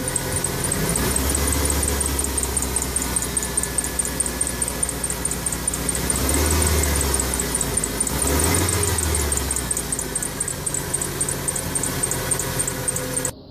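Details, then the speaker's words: 1996 Ford F-150 4.9 300 inline six running: fast high-pitched ticking chirp over engine drone, louder as revs rise; alternator and other accessories ruled out, worn harmonic balancer rubber. "all right so as you just heard that's the sound that I'm getting and it boils down to there could be only one other thing I got to looking at this harmonic balancer down here"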